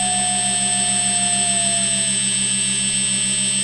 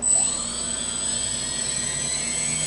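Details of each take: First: Quadcopter on a MultiWii flight controller, armed at throttle: steady motor hum as left-front and right-rear motors lose speed and stop while the others keep running; owner suspects flight controller settings or sensor. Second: Quadcopter with recalibrated ESCs run through the throttle hub: steady high-pitched whir, all four motors in sync at full, half and quarter throttle without wavering, starting and stopping together; ESCs fine, flight controller suspected.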